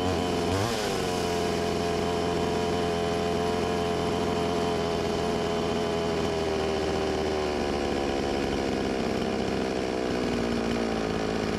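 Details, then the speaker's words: Stihl 20-inch chainsaw, new, returned by a customer: two-stroke buzz that never climbs on throttle, pitch sagging and wavering; bogging caused by a damaged crankshaft and flywheel. "Bali ito, pag pinandar mo humahagok siya, tapos pag ipigain mo ang kanyang gasolinador, hindi siya magtataas ng RPM, humahagok siya."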